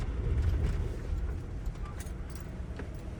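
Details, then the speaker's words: 2000 Ford Ranger 3.0L V6 after cleaning the dirty mass air flow sensor, throttle body and idle air control valve: low, quiet, steady idle with no surging; earlier high idle now fixed. "It's already idling on lower. Idling, it's not going up at all."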